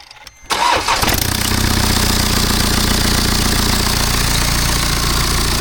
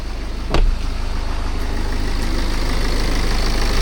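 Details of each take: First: BMW F10 518d B47 diesel just after a turbo replacement: rough, loud run with a rushing hiss over the clatter and smoke from spilled oil; boost leak because the turbo clamp was refitted the wrong way. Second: BMW F10 518d B47 diesel after turbo replacement and boost leak fix; after a blip settles into a smooth even idle with steady low thrum, no hiss or whistle; no more boost or oil leaks, runs healthy.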